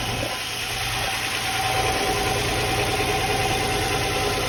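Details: Nissan 350Z/G35 after valve cover gasket replacement: a puffy idle at about three pulses a second with a raspy edge. The engine itself runs perfectly with no fuel smell; the holed exhaust is leaking at idle and likely needs replacing.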